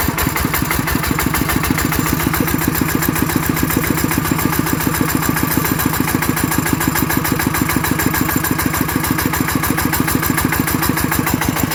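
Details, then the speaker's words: ET110 single-cylinder diesel after rebuild for an abnormal knocking noise, even steady thumping at fast idle with no knock or rattle; judged good, normal running. "โอเคนะครับก็ถือว่าใช้ได้ใช้ได้อีกใช้ได้ทุกๆทุกอันใช้ได้อ่ะ"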